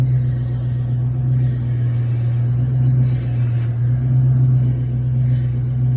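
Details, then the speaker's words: 2004 Mustang GT, early morning start after repairing front steering and drivetrain noises with new parts including tie rods: steady low rumble while turning, with no clunks or knocks from the front end; no steering clunk. "there you go now that sounds so much better so much better and I'm so excited because the car drives is so good"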